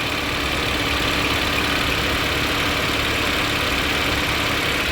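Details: GM Celta idling with no air filter fitted and radiator fan on; smooth even idle with open-intake hiss and fan noise, no knocks or slapping; normal idle.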